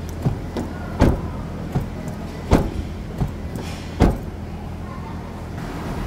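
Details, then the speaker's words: Another door closing on a used 2012 Toyota Hilux diesel pickup in post-purchase inspection: several dull, uneven thuds with loose rattle instead of a clean latch; also sounds strange, mechanic advises avoiding such a truck. "essa aqui também tá bem estranha essa fechamento de porta aqui ó tá vendo tá bem estranho esse fechamento de porta também"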